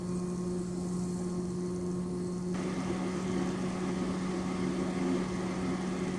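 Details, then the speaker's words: Dell Alienware OEM case fan run at 100% toward nearly 5000 rpm: steady hum under a jet-like rushing airflow roar at constant pitch, loud but normal. "the dell oem fam can go really fast you can go up to almost i think 5000 rpms which is ridiculous and it literally sounds like a jet when i put this 100"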